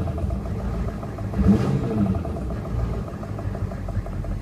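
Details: 1994 Chevy Silverado C1500 6.5 turbo-diesel idling, recorded where it is heard best: deep rumble with loose clatter rising through it; cause not yet found; engine knocking at idle.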